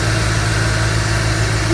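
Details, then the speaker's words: Engine idling after owner's DIY water pump and new belt install; the earlier belt squeak was blamed on a slightly cracked alternator pulley. Steady, even low idle with no squeal or chirp; runs normally. "So right now everything runs great. Don't have any problems with anything. No squeaks."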